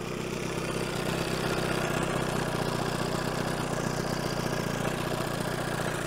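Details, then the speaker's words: 1970 Evinrude 25 HP outboard after condenser change, warmed up, earlier running rich and smoking: steady, even buzzing two-stroke idle with no stumbles, settled and idling nicely at low speed. "it does sound pretty good it's actually hiding quite idling quite nicely"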